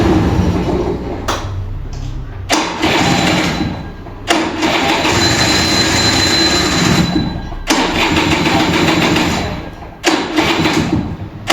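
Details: Vintage Kinetic Honda 2-stroke scooter, early-morning cold start: repeated uneven cranking bursts with light throttle as the battery drains, then a rough two-stroke catch near the end, coughing to life with thick 2T smoke.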